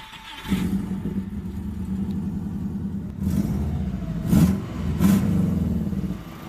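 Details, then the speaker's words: Car after a road trip, just restarted: raspy puffing on idle grows louder with each throttle blip; exhaust gasket (recently new) leaking before the O2 sensor, likely at engine front, car lost a lot of power. "I got an exhaust leak, and the car lost a lot of power. So it's before the O2 sensor."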